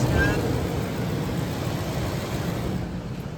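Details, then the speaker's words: 2005 Ford F-150 Lariat 5.4L Triton with an engine whine, after replacing the serpentine belt, tensioner and idler pulley: steady, even idle and rev with no whine or chirp. "Let's rev it and see if we get any noises. Not a noise. Beautiful."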